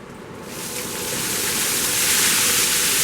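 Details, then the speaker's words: Shop-built cyclone dust collector after upgrade from 1 HP AC to 2.5 HP DC motor with Harbor Freight speed controller, turned up from minimum, drawing in a pile: strong, even rush of air builds then holds steady; quiet, healthy normal suction. "yes, sweet. Perfect. That's about the power that I want normally."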